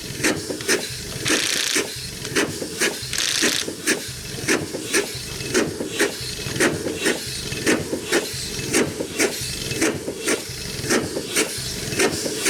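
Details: 100+ year old Chicago Pneumatic steam engine/air compressor, first run in decades, compressor head off: slow regular chuff about once a second with sharp hissing bursts between strokes; runs well but piston rod packings leak steam.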